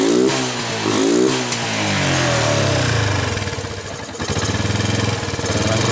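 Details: Yamaha Jupiter MX New after servicing its never-serviced carburetor (previously hard starting and stumbling on throttle): engine catches and revs cleanly, then settles to a steady even idle with no misfire; normal start and rev.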